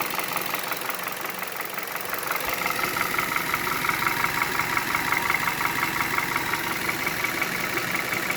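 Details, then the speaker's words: 2011 Hyundai Solaris G4FC, 166k km, new timing chain and phaser, warm idle at 700 rpm, coolant 83°C and oil 79°C: a steady light tapping of about three per second. Cause unknown; compression normal, drives fine. "Ну так постукивает сейчас сколько там Ну вот 83° температура антифриза"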